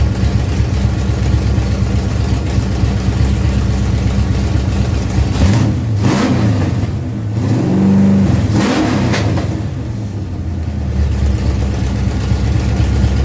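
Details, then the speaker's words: Ford Pinto drag car after Holley carburetor rebuild (grit cleaned out), secondary throttle stop backed off, fired up to adjust idle and air bleeds: steady low idle with a couple of short throttle blips, settling back smoothly; normal idle. "I'm gonna fire this thing back up and now we should be able to adjust the idle and the air bleeds to get this thing actually run right so fired up"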